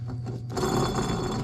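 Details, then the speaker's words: 2001-2005 Honda Civic rear wheel bearing/hub assembly spun by hand before replacement: rough, gritty grinding rasp instead of a smooth spin, heard as a roaring noise while driving; worn wheel bearing. "that sounds terrible so now you just pull this thing on out of there"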